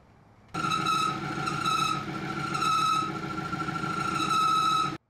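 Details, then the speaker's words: BMW E36 turbo, first start after M50 engine rebuild, 60 psi oil pressure at idle: piercing steady high squeal over the engine, rising and falling with revs; owner first suspected power steering, traced to clutch rubbing on transmission guide tube. "now I just got to figure out what that noise is and uh yeah just kind of let it idle once I figure out the noise"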